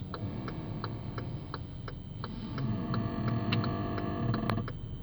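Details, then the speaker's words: Hyundai Elantra AD with 7,500 km, parked while the steering is turned slightly: a rapid, fairly regular creak of three to four clicks a second over a low hum, first like rubber rubbing, then like metal on metal; front suspension creak. "слышно скрипт сначала был похож как будто бы резинки трется но потом прислушавшись понял что как будто железо об железа"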